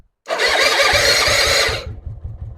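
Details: Suzuki Intruder V-twin with weak front-cylinder compression: a starter crank bursts into a brief ragged run, then dies back to cranking. Fires only on hand-primed fuel (maybe too much petrol); fuel delivery and carb suspected. Unconfirmed.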